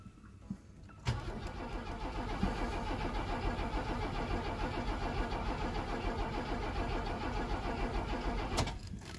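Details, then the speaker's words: 1979 Opel Monza series 1 barn find, first start attempt after the fuel tank was installed: even starter cranking with no firing. Spark is confirmed, but no fuel comes out at the main feed; the fuel pump is suspected weak or dead. "the pump is not pushing fuel through as it should be so what we're thinking now is the fuel pump is doing something but not enough or is just completely wrapped"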